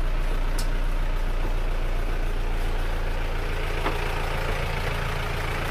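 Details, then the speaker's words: Diesel engine just started after an engine teardown/rebuild: deep, steady idle with an even beat and no knocking or rattles; soft and smooth like a new engine. "sudah hidup suaranya empuk halus seperti mesin baru kira2 spek mantap kolaborasi berhasil"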